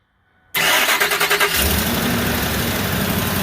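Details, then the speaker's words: Ford F250 Super Duty 5.4 V8 after replacing a cracked passenger-side exhaust manifold and a broken stud: it cranks, then settles into a fast cold idle with a brief exhaust-leak puffing that quiets down. "pretty quiet on this side I heard an exhaust leak to start with but it quieted right down"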